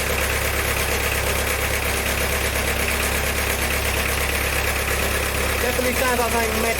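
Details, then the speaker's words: Diesel car after a valve stem seal and head gasket repair with a snapped camshaft bearing retaining bolt: steady metallic knock about two beats a second over the idle; owner first thought of a knocking injector from air, now doubts it; cause unclear. "running around in there but it is funny time for this graveyard i just bought the noise might be a knocking injector when we got a load of air i really doubt it because that sounded bad didn't it"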